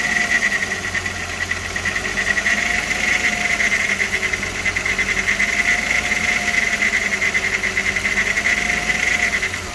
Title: VR6 AES Engine Sound (with timing chain rattle)